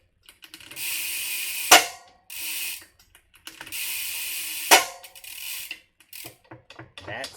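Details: Bicycle rear wheel during maintenance with the Park Tool WAG wheel-dishing tool, brakes pulling well: two bursts of fast, crisp, even freehub clicking as the wheel freewheels, no skips or grinding. Pawls engage cleanly; normal ratchet.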